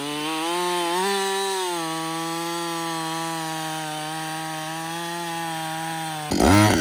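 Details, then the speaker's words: Husqvarna 562XP chainsaw, dealer software reflash after dying when hot, not starting and stumbling. A steady, high-pitched two-stroke howl holds pitch, bogging slightly into the cut, clean and even. It runs normally under load. "so far it's running great um I've got I'd say about I don't know"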